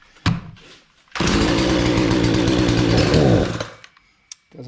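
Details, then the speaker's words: Husqvarna 240 chainsaw, hard to start and not staying running; brake probably had been on: fires, revs smoothly about two seconds, drops back with no sputter; may just need warming up. Normal running. "yeah so i don't think there's anything wrong with a saw"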